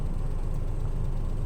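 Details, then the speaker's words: Maruti Suzuki Alto VXI 2022 after overheating fix and head gasket change: steady, even low-rumble idle with no knocks or misses. "अभी वो heat का problem था वो solve कर दिया है। अभी गाड़ी स्टार्ट है, देखिए कितना साउंड हो।"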